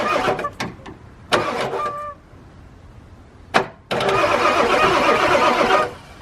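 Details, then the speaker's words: 1997 Ford F250 7.3 diesel, sat a while, cold, cranking via jumped relay on fender (key switch faulty), new batteries: quick bursts of fast cranking, spins freely but never fires, no smoke; needs cylinder heat, start uncertain. "Yeah, it's a little bit rigged here, but definitely turns over quick. Gotta build some heat in them cylinders."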